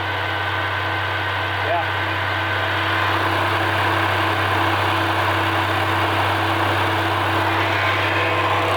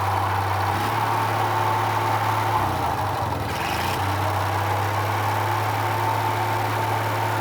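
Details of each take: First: Roughly 78-year-old two-cylinder water-cooled generator engine: steady, even chugging at a constant idle with no knocks or rattles; it sounds healthy, though it kicked back and puffed smoke from the air cleaner while cranking. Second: Roughly 78-year-old two-cylinder water-cooled Onan generator, warming up under light load; drone sags and recovers, speed inconsistent with load, light flickers; owner suspects worn linkage rod needing new ball ends.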